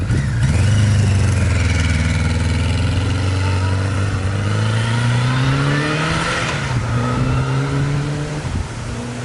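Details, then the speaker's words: 1982 Kawasaki KZ1000 LTD, stock inline four, 9,000 original miles, freshly sorted, passing by in third gear at 7,000 rpm (redline 8,500): strong smooth howl dropping in pitch as it passes, pulling cleanly without misfire. "Fast as hell. I just went by in third gear at 7,000 RPM. Red line's 8,500. Things start happening fast in the upper RPMs."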